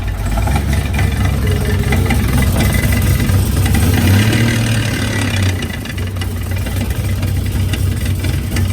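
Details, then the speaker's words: Nissan S14 with T56 transmission and welded differential, running: rough running with uneven rapid clickety drivetrain noise, first suspected axle or transmission, found to be a broken differential ring gear. "Okay, so the car is making a terrible noise, and we sat there, and anywhere you looked, it sounded like the noise was coming from that area."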